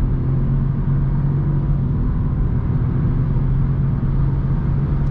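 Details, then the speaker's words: Renault Clio RS Line with CVT gearbox, recorded from inside the car while driving: a steady low drone with no whine, rattle or knock as the engine turns 5500 rpm, approaching 6000; no engine noise, good insulation, a healthy engine. "no engine noise, we turn 5500 rpm, it is not even clear, it is approaching 6000e"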